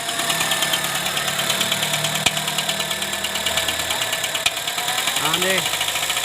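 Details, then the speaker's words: Honda Civic Hybrid with codes P1024 valve pause system stuck on and P0300 random misfire: busy rhythmic ticking clatter about three times a second over rough idle, louder on acceleration; rocker arm noise. "गाड़ी की आवाज़ आपने सुनी है की ID पर जब घड़ी होती है गाड़ी तब भी काफी आवाज़ ए रही होती इंजन में से और जब एक्सीडेंट करते हैं तो जो आवाज़ है इंजन की ये और भी बढ़ जाती है"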